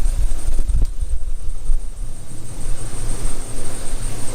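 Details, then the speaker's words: Truck with P0300 code and also a leaking exhaust manifold donut gasket; deep lumpy idle with skipping exhaust thumps, misfire confirmed by coil tester showing one ignition coil not firing. "and it's got a massive misfire so let uh let me show you [Music] hear that she sounds like [ __ ] boys"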